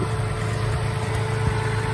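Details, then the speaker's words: Vehicle idling normally after a 6000A 12V AUXITO jump starter started it from a completely dead battery; it ran for 30 seconds before the unit cut out. Steady, even low idle rumble with no misses, knocks or surging. "it started it's run for 30 seconds and then stop so the whole car was actually running"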